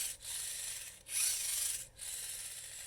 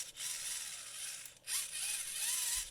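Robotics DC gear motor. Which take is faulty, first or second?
first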